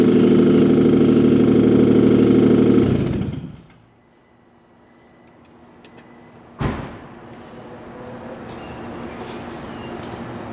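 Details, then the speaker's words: 2007 Nissan Quest minivan with no exhaust fitted: a loud, raw open-pipe roar drops away, then the engine fires again and settles steadily, no knocks; it runs excellent, just without an exhaust. "you're going to hear this car does not have an exhaust on it but it runs great"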